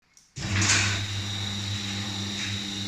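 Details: Steel-Line sectional garage door motor makes a low steady hum with a coarse rasping grind throughout its run; lubricating the sprocket and chain did not help, so the grinding is believed to come from an internal component.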